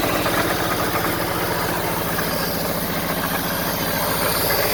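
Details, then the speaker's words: 1974 Honda Civic series 1, 1.5 L four-cylinder idling after coolant flushing with the pressure tester removed: an even, low, regular pulse with no knocks, misses or rattles; good compression, healthy idle. "there's a lot of compression the engine sounds healthy the engine sounds healthy enough guys"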